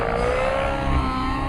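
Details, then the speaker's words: Nitro RC helicopter engine after leaning high-end needle 2 clicks, coming off pitch: high clean note climbs quickly back to speed with no bogging; clean quick recovery, healthy tune. "Very clean and quick recovery. And basically, in essence, you keep doing the same thing until you get an engine that's happy, that's putting out a lot of power, that sounds healthy, and that recovers quickly."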